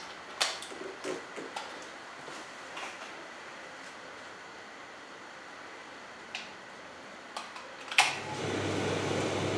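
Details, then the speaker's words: Simpson EZILoader clothes dryer model 39P400M-V1 after replacing the belt and bearings: smooth, quiet steady hum in both drum directions, the previous one-direction noise gone. "that's nice and quiet it's going One Direction like I said it was making a noise going in One Direction"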